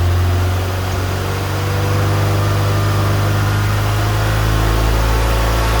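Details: Fiat Punto GT idling on fresh petrol after it had stopped, which owner assumed was empty or dodgy fuel: steady low hum with even rhythm, no stumbling or ticking; running smoothly.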